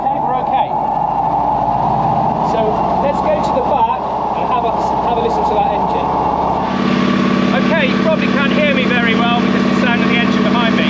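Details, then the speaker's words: Panhard AML90 French armoured car engine start in neutral, accelerator pumped and starter button pressed, red oil warning light on beforehand; rough low rumble settles into louder steady even run with no knocks; normal start-up and running. "camera doesn't do it justice that is a wonderful sounding engine in there"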